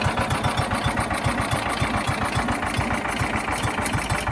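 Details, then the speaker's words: John Deere Gator 4x2, unrun for years, choked, with an electric fuel pump fitted: fast idle of about four uneven, stumbling pulses a second; rough running from a dirty carburetor, later cleaned along with the jets. "We jump started the battery. The battery's still good. And we cleaned out the carburetor, cleaned the jets, and it's running now."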